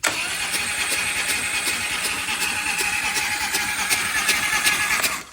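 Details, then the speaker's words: 2015 Harley-Davidson CVO, just over 10,000 miles, loose spark plug ceramics; starter spins briskly with light even chatter about three beats a second, no firing; rear cylinder has no compression, found to be a bent exhaust valve. "no compression. So even a new bike, low mileage bike, can still have problems."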